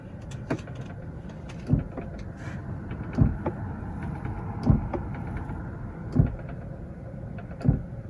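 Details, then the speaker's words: 2004 Lincoln Navigator rear HVAC, switching temperature hot to cold: a dull click about every 1.5 seconds over quiet cabin hum, vibrating through the car as if from the roof. Failing blend door actuator, replaced. "So when I turn it from hot to cold, it vibrates through the whole car. Almost sounds like it's up in the roof."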